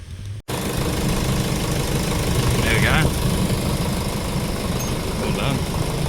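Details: Jeep Cherokee KJ 2.8 VM Motori diesel after timing belt replacement: even diesel clatter at steady idle with no squeal, slap or missed beats; belt doesn't squeak, engine runs smoothly.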